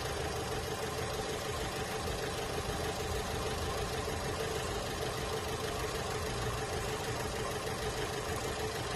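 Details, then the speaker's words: Holden Cruze at idle, uneven stumbling beat with a skipping pulse and shaky engine; dead miss on one cylinder, diagnosed by scope as a failed ignition coil pack. "we've got a Holden Cruze in the shop today came Molina with a engine misfire you can hear it you can feel it it's a dead miss"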